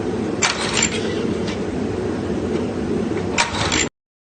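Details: Free log splitter engine that sat about 5 years, having briefly run: steady cranking churn with a couple of brief catches that never pick up. It tries to fire but won't start.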